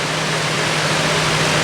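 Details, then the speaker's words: Lakewood HV-18C 18-inch chrome high velocity fan made in 2006, large heavy duty motor, on 121.6 volts, running on low: steady rushing air over an even motor hum, no rattle, fairly fast low speed, slight shake, not perfectly balanced. "it's a decent low speed. It's kind of fast, but it's a powerful fan."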